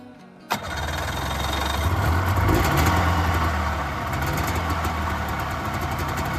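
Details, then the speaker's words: Polaris 500 Widetrack two-stroke snowmobile, cold start with a little choke on a mild day after battery replacement: catches instantly on the first crank and settles into a strong, steady idle with no stumbling. Healthy. "well that is the absolute best we could hope for so uh changing that battery certainly helped although I knew it would"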